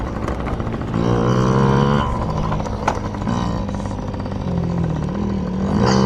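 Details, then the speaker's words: Yamaha PW50 two-stroke, just after carburetor cleaned (jets, float checked) to cure bogging and dying at wide open; being run dry: picks up cleanly through several blips and settles back without stumbling, crisp throttle, running healthy. "So, safe to say the carb is clean. We're just going to run it dry now. I'm sure the neighbors love this part."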